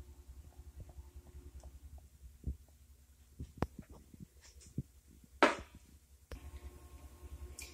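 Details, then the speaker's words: 1997 Ford F-150 old lower ball joint removed: scattered sharp pops and clicks as it is worked by hand, loose and popping in and out, unlike the stiff new one. "This old one, you can hear it popping in and out."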